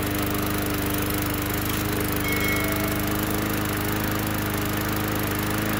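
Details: Bolens lawn mower running after carburetor cleaning, water found in fuel: steady, even engine note at constant speed with no surging, misses or hunting; owner suspects earlier trouble was incomplete carb cleaning. Normal running.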